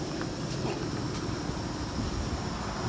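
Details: 2007-13 Nissan Versa on a lift, rear wheel spun free by hand with vibration felt: a steady low rumble from a worn rear wheel bearing; both sides found bad.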